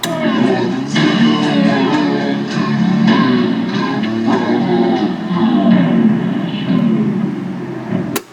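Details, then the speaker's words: Califone 3670AV-1 classroom listening center, music plays back dragging and warbling, pitch sagging and wavering slowly; tape speed wow, owner says it needs a new belt. "That must be some of that uh vapor wave that people are uh going ape over."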